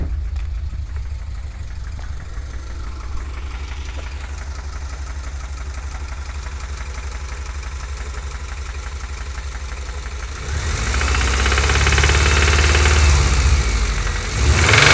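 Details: 2000 Subaru Impreza 2.5RS flat-four at idle and revving in bursts: regular knocking through the engine note; owner suspects rod knock or piston slap, unconfirmed.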